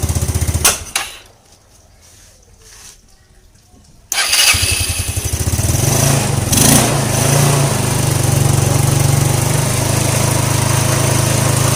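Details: Scooter that was hard to start in the morning, after the faulty part was replaced and the head reassembled: catches at once after a short crank and settles into a steady, even idle with no misses or knocks; the replaced part was the main problem.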